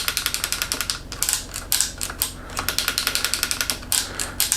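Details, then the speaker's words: Old Trek mountain bike left outside all winter, after spraying the shifter: crisp, even ratchet clicks in quick runs, indexing cleanly with a strong derailleur spring. "I think we're going to get it to index just fine this derailleur has a nice Strong Spring um the shifter is working well now that we sprayed it"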